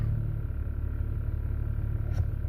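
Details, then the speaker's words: 2004 Mercedes E320 after water damage killed the range selector's optical chip, now repaired: smooth idle while shifting park-reverse-neutral-drive, a single light bump as the gear takes up, no harsh clunk; normal transmission engagement. "I'll show you that while the car's running too. So reverse, you hear it engage."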